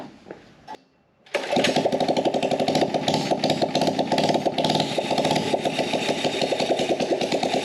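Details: Small carbureted engine on a gas Power Wheel build, no air filter or muffler: starts and runs with an uneven, hunting beat and loud unmuffled rasp; owner suspects lean running.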